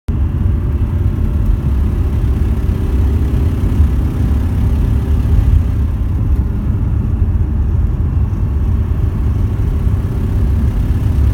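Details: VW T4: deep steady drone under load with heavy low rumble, no clear knock or tick; weird noise when accelerating, cause unclear.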